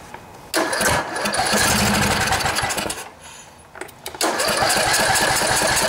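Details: Cub Cadet LT1018 riding mower, 18.5 hp Briggs & Stratton Intek OHV single, after sitting about a year; fouled spark plug replaced, started with starting fluid: fires and catches, stumbles briefly, then runs steady and even with no more smoke.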